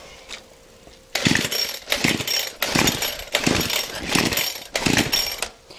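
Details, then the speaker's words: Craftsman Speed Start two-stroke weed eater, muffler off, plug checked, spotless carb cleaned and fuel lines checked, once run on straight gas: catches in short ragged bursts, revs surging and dying about once a second, won't stay running. "see that it it wouldn't keep going very long and I'm pretty sure that it's not going to want to stay cranked back up"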